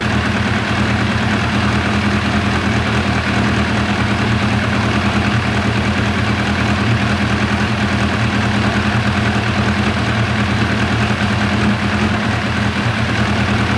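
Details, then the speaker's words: 1990 Kawasaki ZZR1100 four-carb bike during carb sync: lumpy, uneven idle with an irregular stumbling beat, running horribly because the fuel ran out and the float bowls ran dry; rough running from fuel starvation. "i was so focused on trying to get everything adjusted right and it was running horrible i hadn't noticed that this would run out"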